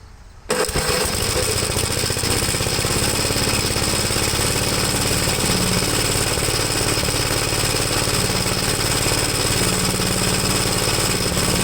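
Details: 1973 Gravely C8 single-cylinder engine after top-end rebuild, running with the spark tester removed: runs rough and uneven with irregular exhaust pops; owner suspects an ignition problem, possibly the ignition wire, not confirmed.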